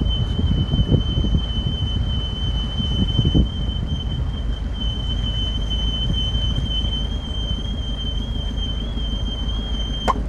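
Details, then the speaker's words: 2001 Toyota Hilux SR5 2.8, test drive before teardown: thin steady high whistle over road rumble and wind, a hiss heard inside from the brakes, with a noise at the brake pedal and another external somewhere in the brake system. "tô escutando o barulho do freio internamente escuta o chiado ó ó"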